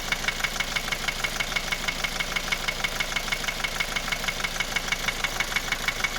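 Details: 2010 Opel Astra J 1.7 CDTI 125 HP diesel idling: a sharp, even knock about three a second over the engine clatter, slightly quieter when warm. It began after a clogged oil pickup; bearings checked fine and new injectors did not help; the cause is undiagnosed.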